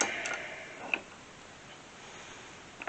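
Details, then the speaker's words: 1969 Plymouth Barracuda Hemi during a Wilwood brake kit install, after backing off an over-torqued part that was binding. Two faint clicks about two seconds apart as the rotor is turned by hand; a slight binding remains and the cause is unclear. "Minding up for some reason a little bit. Why, I don't know, but it just, I know that you're supposed to ton them and then back them off so much. It just may be that, I don't know what that sound is though."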